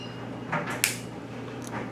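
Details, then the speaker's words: Head bolts loosened on an unopened, low-time GK engine during disassembly: a few sharp, dry cracks as they break free, showing original factory torque and an engine never opened. "That snapping sound is something you should hear. It's an indication that this engine has been torqued from the factory and has never been opened. That's the sound you want to hear."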